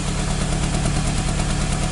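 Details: 2003 Toyota with codes P0200 and P0201 for an injector circuit fault, loss of power and a cylinder misfire: uneven, lumpy idle with a stumbling low pulse.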